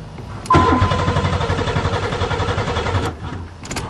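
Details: Buick Regal first spring 2008 start after sitting over winter, new battery, fuses good, fuel pump running: steady rhythmic cranking for about two and a half seconds that never fires, then stops; cranks but won't start.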